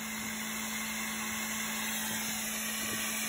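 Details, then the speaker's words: CO2 laser cutting plywood at speed 18, 70% power, after replacing cooling water, chiller at 16.5°C: even steady hum with a faint constant tone, no squeal; the earlier whistle is gone, normal cutting. "то же задание пензу что и требовалось доказать все проезжается кипятка нет хорошо"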